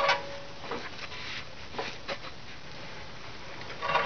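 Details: 2001 Nissan Maxima FWD, passenger side jacked up in neutral, front wheel spun forward by hand: short thin squeaks once per turn, seemingly louder near the transmission; owner suspects inner CV joint or axle rather than bearing.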